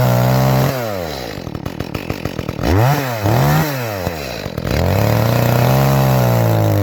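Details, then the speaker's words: Echo CS-310 chainsaw after cracked purge bulb replacement, cutting cherry: full-rev scream then bogs and burbles unevenly in cut; high-speed mixture sounds a little rich, to be leaned with tuning screwdriver. "Tell you what, this thing sounds like it's running a little rich. So what I'm going to do is go inside, grab a tuning screwdriver."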